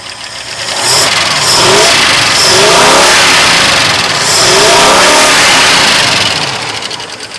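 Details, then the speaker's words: 1972 Ford F250 4x4 Highboy V8, still very cold at about 10 psi idle oil pressure: revved twice, a fast light ticking rides over the engine note, a lifter tick. "All right. Well, uh, it's running and it's got a little bit of a lifter tech or a lot of bit. You can probably hear."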